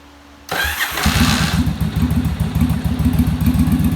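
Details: Yamaha Virago V-twin during on-engine carb sync using a manometer, following a bench sync: catches after a brief crank and settles into an even, steady loping idle with no stumbles; carbs sound balanced.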